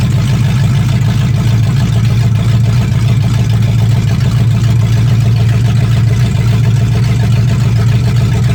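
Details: 1965 Mustang fastback, 289 V8 with Tri-Y headers, first start after sitting 44 years, freezing cold day: deep, even V8 burble with steady firing and no knocks or misses. Normal running; only a dripping carburetor needing a rebuild.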